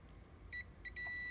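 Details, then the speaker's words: Tektronix 2213A oscilloscope repair: the continuity beep cuts in and out in short bursts, then holds steady when pressure is put on a fork pin, showing the pin is not making full contact with the board. "can hear the contact if I release it you can hear there's no contact so if I put a little bit more pressure on there there is continuity so the issue is that pin is not making complete contact with the board"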